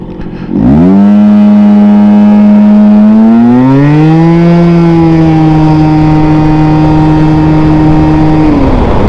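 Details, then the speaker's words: Scooter after front shock rebuild, stop-start test for a CVT noise like a turbo blow-off valve: pulls away cleanly, pitch rising smoothly then holding steady, no whoosh or chuff; CVT sounds normal, noise not reproduced. "all right so we're listening for like a turbo blowoff valve Noise Okay that was good"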